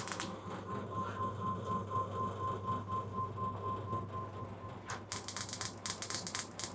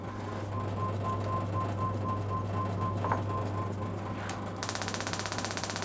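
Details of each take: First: Bench test of a high-energy electronic ignition upgrade kit in a classic car distributor at maximum spark gap: rapid sharp spark ticking around four per second over a steady hum, with louder irregular snaps as spark flashes over from the HT lead to negative. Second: Classic car distributor electronic ignition kit on a spark tester, about 12 kV with the gap widened: sharp, loud, crisp snaps about a dozen a second over a steady hum; strong, healthy spark.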